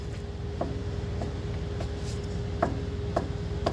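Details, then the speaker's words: 2009 BMW E90 M3 (LCI), front control arm/wishbone bushing with the subframe bolt torqued to spec, wheel tugged by hand: sharp irregular knocks about twice a second; the bushing has failed at the same location on both sides. "there is a knocking sound coming from this and it's the same exact deal on the other side as well both of them have failed the same exact location"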